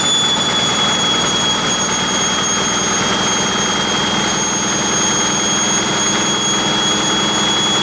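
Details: 1959 Caterpillar D337F diesel generator set, ex-hospital, barn-stored 10–12 years, about 959–960 hours, running with no load and barely at operating temperature: even, steady drone with a high whistle on top, no knocks or misses; normal no-load running.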